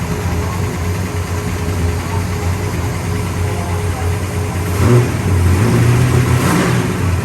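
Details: 1966 Pontiac GTO convertible V8: steady rumble building smoothly as throttle opens, no misfire or stumble; runs healthy.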